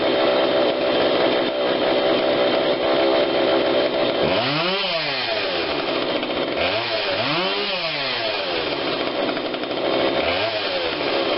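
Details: Husqvarna 142 40cc chainsaw, long unused, after repair and carb tune-up while warm: crisp even two-stroke buzz picking up cleanly on each throttle blip and settling back without bogging; low adjustment seemed unneeded; normal running.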